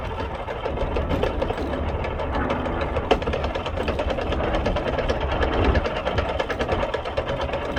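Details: Vespa P125X with VMC Stelvio 177 kit, running: steady rapid clicking from primary/cush drive gear damaged by shifting at wide-open throttle during an uphill plug chop test.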